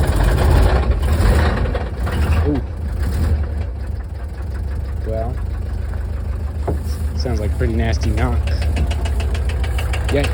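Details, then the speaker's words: 1968 VW double cab transporter that sat 5 years, first run on gas shot in: rough idle with heavy, uneven knocking that comes and goes, very noisy. Intermittent internal knock, cause unknown. "Yikes. Pretty noisy."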